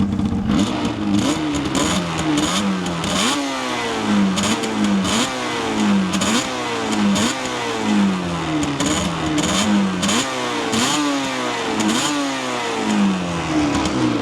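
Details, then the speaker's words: 1988 Yamaha TDR250, 250cc two-stroke twin, Japanese import, already warm: quick throttle blips climb crisply and drop back cleanly with no bog; healthy free-revving engine, smooth at tickover. "a really nice free revving engine, very smooth as well on tickover."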